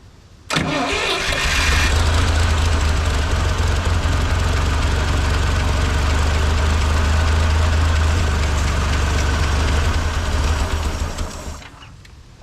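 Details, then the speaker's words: 1958 Lull telehandler sitting 15 years, parked with a fuel issue: cranks, catches, idles roughly with low uneven thrum then dies when throttle opened; choke and carburetor suspected, slight knocking heard. "we're having some issue up here the choke I think it's killing it"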